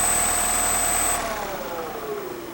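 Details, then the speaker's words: Freewing 4258 580kv brushless motor from a P51D Mustang, after prop-strike damage and replacement with 5x11x5 Boca bearings: smooth falling whine coasting down, no grinding or rattle; less noise, vibration and play than before. "Even while spooling down you would have heard that noise louder. Even spinning it by hand. You're not hearing the noise, so we'll say that the bearings were bad."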